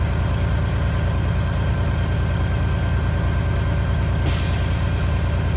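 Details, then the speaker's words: 1997 International 9200 diesel after an air dryer fault that had it cycling every 10–20 seconds. Steady idle with the compressor running, then one sharp hiss of purge at cut-out. Normal air dryer purge. "There he goes. Now he should pretty much stay there and not come right back on again."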